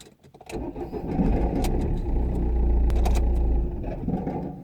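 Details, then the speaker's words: 2009 Ford Fiesta Mk7 1.4 TDI after starter motor replacement, battery just connected for testing: brief quick crank then engine catches cleanly into steady idle, no clicking or labouring; normal cranking and start. "Let's fire it up. Let's see. Well, that's a good sign, because it started."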